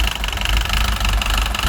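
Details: Citroën DS3 1.6 petrol at idle with hunting revs: heavy diesel-like top-end clatter; codes for rich mixture, oxygen sensor and cam phasing; engine had almost no oil, worn camshafts starved of oil.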